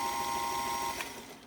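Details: Restored Singer 221 Featherweight after electrical service with rewired motor: smooth, even motor whir with steady pitch, then winding down as it slows; runs cleanly with no knocks or rattles.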